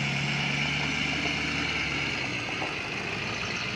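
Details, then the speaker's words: 2007 Ford F250 6.0 Power Stroke diesel, warm idle after a half-hour hard drive and Seafoam treatment: steady, even clatter with no stumbles or misses; normally runs rough after sitting overnight but clears out once warm. "Or, so it sounds really good, but it normally does right now. You know, after it warms up, it pretty well clears out."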